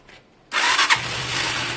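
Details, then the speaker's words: Zontes Tiger 125cc (Keeway RKV), carbureted single with oil slightly high and a little petrol, on its first start attempt: silence, then it catches first try and settles into a steady, even idle on choke, a normal cold start. "Is there a choke on your side? Clutch. Oh, it does have a choke."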